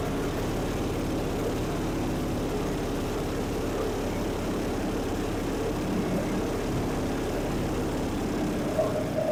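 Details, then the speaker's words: Circa 1966–69 Tradewinds Tiger snowmobile two-stroke running in the shop while the carb is tuned after its first start. Steady buzzy running, slightly uneven, producing heavy smoke. "wo it is Smoky in here he lives"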